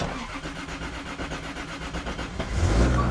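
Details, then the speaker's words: Built Toyota Supra engine with aggressive cam, first start after build; starter cranks about 2.5 s then fires and picks up cleanly, battery fine, 130 oil pressure and 44 fuel pressure afterwards. "oh well never mind then first start no we don't need a new battery she's good"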